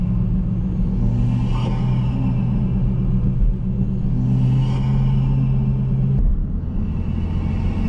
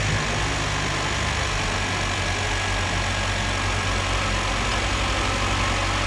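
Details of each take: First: Chevrolet Cruze (second generation) with big turbo swap running about 30 psi, GFB diverter valve fitted; under road rumble, each throttle lift gives a brief airy flutter and whoosh as the turbo struggles on decel: compressor surge on deceleration. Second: Second-generation Chevrolet Cruze turbo petrol engine, just fitted GFB diverter valve, revving in neutral (only 5-7 psi, not a full valve test): steady even roar, smooth hum, no knocks or rattles; sounds healthy.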